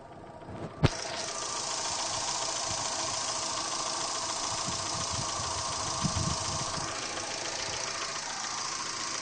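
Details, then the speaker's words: Chevrolet Gentra engine knocking at idle: a sharp knock taps along over a steady idle with lots of top-end clatter; source not pinned down. "Вот такой звук стучащий."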